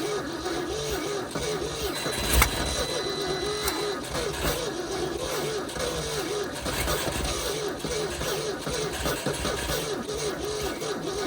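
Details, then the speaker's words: 1971 Ford F250 parked about 30 years, jumper-wired at −15 °C with the battery at 11.8 V: slow, uneven, halting cranking that never fires. The owner suspects stuck valves. "Doesn't want to choke, that's weird. Sounds like it has some stuck valves."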